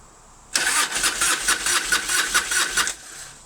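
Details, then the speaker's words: 1997 Harley-Davidson Fatboy Evo, 70,000 miles, Mikuni carb, sat a month with petcock shut: labouring starter cranks with uneven chugs and never catches; carburettor float bowl dry, fuel starvation, possibly sticky accelerator pump. "See, the carburetor bowl is empty cuz I always shut my petcock valve off, you know, and let them run a while."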